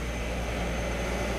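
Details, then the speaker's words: 2001 VW Eurovan after replacing the electric radiator fans (the old fan motor wobbled and the fans stayed on after shutoff). Key on, AC on: new fans give an even, quiet whoosh and hum with no grinding or wobble. "And if you put the AC on the on position, you should hear the fans."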